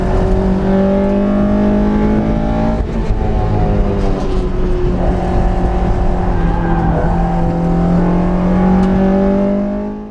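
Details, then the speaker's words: Freshly tuned Honda S2000 on track, first two laps: engine pulls hard at high revs with a smooth, even intake note, snappy throttle and good power, no stumbles; a misfire appeared on the third lap. "for the first two laps the ITV sound was glorious the throttle was snappy and the engine was making good power"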